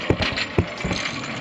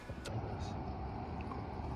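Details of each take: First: Front 4WD wheel lifted and spun: uneven heavy clunks and rattles about half a second apart. The hub vacuum lines and actuator were tested first; the front hub is broken. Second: Truck after repair with wiring re-secured and zip-tied: steady, even low rumble with no clicking, grinding or clunking; running smooth and healthy, normal.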